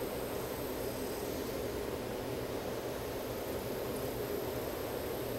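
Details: Toshiba 23HLV85 LCD TV/DVD combo playing a stamped Get Smart disc after a DVD-not-ejecting complaint: steady even hiss and whir with a soft low hum, no clicks or grinding; disc spins up and reads cleanly.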